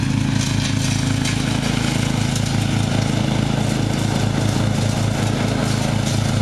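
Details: Murray riding mower, first run of the year after long storage and a mouse nest cleaned out; gas half full and not old, filter unchanged. A steady, even low thrum at constant speed with no stumbles, surging or cutting out; running perfectly.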